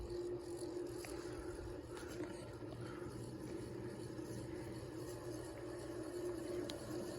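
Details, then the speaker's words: View Fan 36-inch industrial ceiling fan running on a cord at high speed before oiling: steady motor hum under a constant rough, scratchy rumble from dry bearings. "as you can hear the bearings need a little help"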